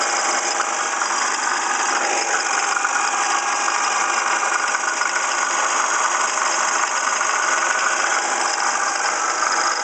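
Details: 1995 Ford Escort at idle: steady light metallic rattle from the passenger side of the engine. The cause was a water pump pulley damaged in an accident to the passenger fender; the alternator had been replaced and belts checked fine.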